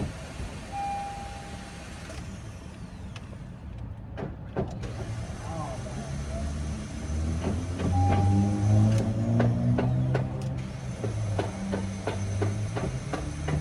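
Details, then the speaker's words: Car with tested-good battery and alternator: sharp taps and clicks as the starter is struck, then a laboured, wavering cranking whir; failing starter motor that needs replacing. "Yeah, it's gonna be the starter, guys."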